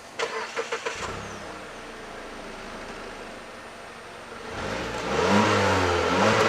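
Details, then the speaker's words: 2016 Mazda CX-9 with the 2.5L Skyactiv-G direct-injection four-cylinder, starting and revving; a light, quick ticking of about three per second over the engine is normal direct-injection injector noise. "This is the company's 2.5 liter Skyactiv G gasoline direct injection 4-cylinder with a high compression ratio. And the ticking noise,"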